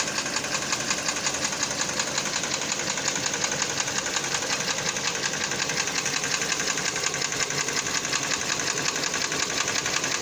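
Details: Kia Cerato 2014, 2.0 litre, 87,000 km: sharp, even metallic ticking about three per second over a quiet idle; engine knocking, cause not yet found.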